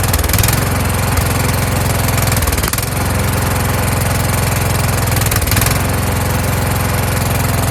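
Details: Kohler Courage engine on a tractor, winter, engine cover off, after swapping in the donor engine's carburetor with a self-returning choke: steady, even chug with only a faint dip every few seconds. Normal running.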